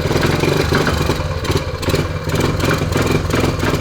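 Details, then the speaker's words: 1979 Honda Trail 90 (CT90) 90cc single, first run in 26 years: engine lopes and sputters unevenly with revs sagging as if starving for fuel, running only with the choke on and nearly dying. "let me try revving it up okay oh joke is on or something it likes running with the choke on yeah"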